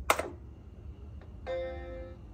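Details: Vintage computer from a swap meet: after a click, a single clean, bright chord rings out and fades evenly; normal startup chime of a healthy machine.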